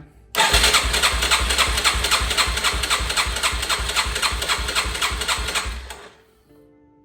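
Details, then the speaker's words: 2006 Yamaha TTR-230, cranked by a jump box during a compression test reading just over 90 psi; owner believes spec is 120–130 psi. Quick, light cranking pulses near 220 a minute with little resistance and no firing. Low compression. "okay so so it's showing a little over 90 PSI which isn't great I think ttrs are supposed to be at least 120 PSI 130 PSI if I'm not mistaken"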